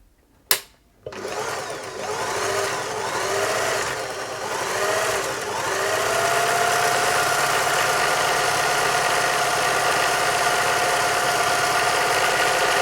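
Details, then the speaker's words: German-made Singer 631G/611G sewing machine after a full service and foot controller repair, sewing a fancy stitch: a quick, even stitching rhythm over a smooth motor hum. Good stitch formation. "There we go, that is, it's a nice little stitch there. It's good looking stitch formation."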